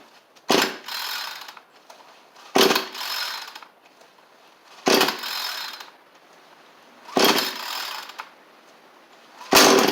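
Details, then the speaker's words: Cheap two-stroke trimmer with a new fuel line but the old carburetor still fitted, spring-assist pull start: five pulls, each giving a short raspy burst as it catches, then dying away. It fires but won't keep running. "Oh! So it did try and fire off there. It's more than nothing. That's good."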